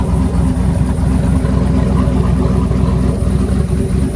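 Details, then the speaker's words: 2008 Chevrolet Silverado V8 with stock exhaust manifolds, a new Y-pipe and catalytic converter assembly and a welded 3-inch exhaust with chambered muffler, raised in the air; deep, even idle burble with no ticking or puffing, no leaks at manifold or Y-pipe joints. "all right so check for leaks no leaks around the mating surfaces to the manifold to the wipipe it's sounding great I'm super happy with that"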